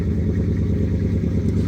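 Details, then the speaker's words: Ford F150 with aftermarket cam and tune, cold start with AC on: lumpy idle with slight uneven loping, cutting out a little and revving on its own; erratic cold idle, owner blames a bad tune. "You can kind of hear it like cut out a little bit. It's trying to outer down. But this is why I know the tune is off right here because"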